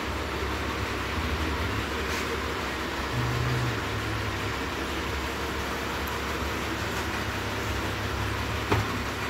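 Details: Mitsubishi Pajero 4 (Pajero Wagon 4) after repair of an engine knock caused by a cracked crankshaft near cylinder 2, replaced with a used low-mileage crankshaft plus new bearings and seals; quiet, even idle with a steady low hum and no knocks or ticks, normal idle.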